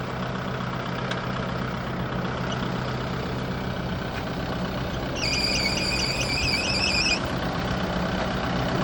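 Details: Kubota broom tractor during a pre-trip inspection, engine compartment: steady diesel rumble, then a high warbling squeal for about two seconds; a belt or pulley squealing, with the bad pulley found by it stopping when touched.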